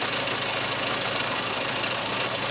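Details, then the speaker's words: 1994 Skoda Favorit 1.3 (68 hp, chain-driven engine), microphone left in the car: very agricultural-sounding starter, then an even, steady idle with light top-end chatter, no misses or heavy knocks; engine running smoothly, no leaks. "it's a very agricultural starter sound but other than that the engine itself is sounding pretty nicely I think no leaks or anything"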